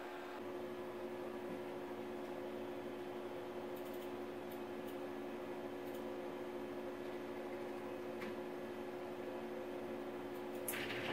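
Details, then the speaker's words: Water-cooled CNC spindle running at 23,000 rpm, recorded by phone closest to the spindle: quiet, steady mid-pitched hum with no grinding, squeal or wobble; normal spindle running, quiet enough to talk over. "Uh you can very easily talk over this. I'm quite sure the audio you'll be a you can hear my voice and I'm not speaking loudly."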